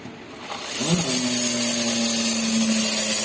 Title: Xpress T vehicle MCU abnormal sound